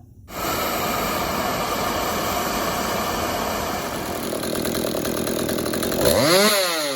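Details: Stihl MS 192T chainsaw after clearing a clogged spark arrestor screen, which had stopped it idling or revving up: steady, even high-pitched buzz with no stumbling, revs rise cleanly near the end; running normally.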